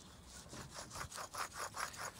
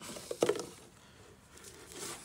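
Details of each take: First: Land Rover Discovery 2 TD5 front wheel bearing, after about 20 years with play, MOT advisory: hub spun by hand gives a harsh rasping grind pulsing about five times a second; new bearing is smooth. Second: Land Rover Discovery 2 TD5 front wheel bearing hub, new part spun by hand: faint light whir with no grinding or roughness, unlike the rough original 20-year-old bearing; smooth wheel bearing.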